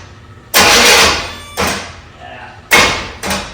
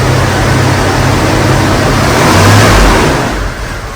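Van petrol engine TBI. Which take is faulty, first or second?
first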